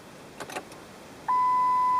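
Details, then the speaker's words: Car with ignition in run position, clock reset showing lost battery power: faint clicks then steady high-pitched warning beep while headlights dim; indicates dying battery. "The dimming of the lights and the beeping are all indicators that we have a dying battery."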